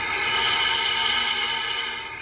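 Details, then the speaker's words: 1954 Riv boat engine, cylinder 2 on a leak-down test: steady high hiss of compressed air escaping through the exhaust valve, nothing from the intake or crankcase; intake valve sealing. "It's coming out of the exhaust valve. Nothing out of the intake, nothing out of the crankcase."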